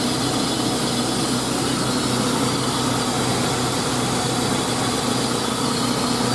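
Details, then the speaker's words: 2000 GMC Sonoma 2.2L I4 idling after new serpentine belt and tensioner install: even, steady idle with no squeal or chirp, just a smooth engine with a light hiss; normal idle. "but yeah ain't no more squeaky belt so yeah"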